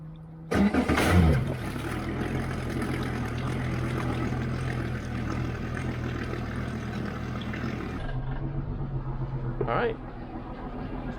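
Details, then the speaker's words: Yamaha 4.2-litre V6 outboard during flushing, started on the first battery: a brief strong crank catches quickly into a steady, even low rumble with no stumbling; a healthy start, charging at about 14.2 V. "cranked really good."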